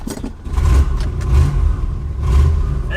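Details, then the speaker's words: 1971 Lincoln Continental Mark III on a test drive after the exhaust was tightened underneath: low, even drone rising with throttle, no rasp or rattle; exhaust much quieter; smells of old gas. "the exhaust is a lot quieter now smells like old gas weird let's go find some fresh gas"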